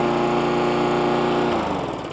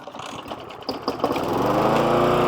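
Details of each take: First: Hayter 41 lawnmower after the spark plug was tightened and the carb O-ring and clip refitted: even, steady drone, then it winds down, with no labouring. It is suspected the low tank was sucking up water. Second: Hayter 41 lawnmower that hit something hard and then wouldn't start: a few sputters, then it catches but the steady hum sags and dips in pitch. It is labouring, with a high amount of water in the fuel tank and the repair not yet done.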